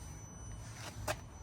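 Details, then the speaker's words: 2025 Yamaha Tenere 700 with ignition on and engine off: thin, steady high whistle over a low hum as the fuel pump keeps running, for 15 minutes, instead of shutting off after a few seconds. "Is just all the time. It It drives me nuts. As a for the on for 15 minutes, the fuel pump is 15 minutes."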